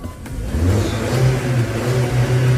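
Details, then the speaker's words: Car with hard starting and high fuel use, just after cleaning all 4 fuel injectors: catches and rises into a strong, even rev with steady low drone, no misfire or knock; runs clean, problem fixed. "哇，动力特别强劲。走，去前面看看。发动机运转的特别平稳，问题已经彻底解决了。"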